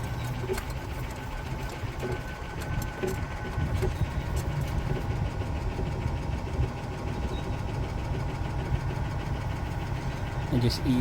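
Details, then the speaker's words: 2008 Yamaha Drive G29 gas golf cart after primary and secondary (drive and driven) clutch replacement and a prior backed-out head bolt repair: a low, steady putter settles back to an even idle after the throttle is released, no knocks or surging; healthy and super smooth. "wow this is like super smooth and it'll back off it'll continue to"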